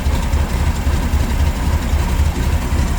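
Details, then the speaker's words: 1979 VW Super Beetle with EMPI carburetor and repurposed air cleaner, cold and running on choke: low, throbbing fast idle with steady, slightly uneven pulse, expected to slow once warm. "the joke is running right now as soon as the engine warms up it'll back off and it'll run a little"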